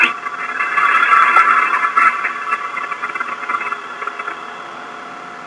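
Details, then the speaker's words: Caterpillar 3126B HEUI diesel at low idle, at the start of the injection actuation pressure test; steady, even drone with no knocks or misses, showing the expected noise and variability of a properly running engine. "This engine is running normally and illustrates both the expected noise and variability of a properly running engine."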